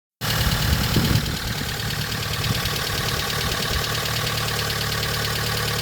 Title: 2006 Honda Element K24A4 engine, louder engine noises after valve adjustment